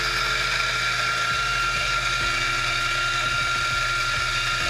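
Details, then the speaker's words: Turin DF54 grinder set to 15, grinding a 13 g dose of espresso beans: steady high motor whir with gritty crackle of crushing beans, no labouring or squeal; grinder running normally. "Again, it's set to 15. I'm firing up the DF54."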